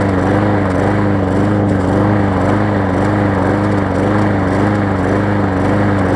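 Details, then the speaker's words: Hyper Tough mower, customer return, new blade fitted after severely bent blade, gas tank not seated and loose: engine holds a drone but beat wavers and hunts unevenly; running rough, not smoking. "so as you can hear it goes wrong albeit not great right now but it's not smoked"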